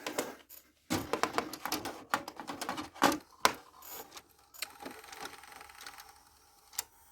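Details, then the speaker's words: Philips VR 101 VCR with a tape stuck inside, eject pressed on power-up: irregular clicks and short motor whirs as the mechanism strains, then gives up; eject mechanism jammed by stuck tape. "Let's eject. Nothing."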